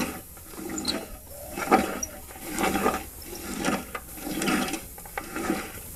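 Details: Pulley separated and turned slowly by hand; rough, gritty grinding swells with each turn, about once a second, like sand in the bearing; owner suspects bad bearings, not confirmed.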